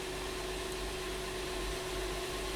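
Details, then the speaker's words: 2012 Honda Pilot 3.5L V6 after repair of P0303 cylinder 3 misfire with new spark plugs; steady, even idle hum, no stumbles, no misfires counted, steering wheel smooth; normal idle, confirmed fix. "well right away I can feel smoother obviously we don't see any misfires counting up but I just feeling the steering wheel I can feel its nuts it's nice and smooth"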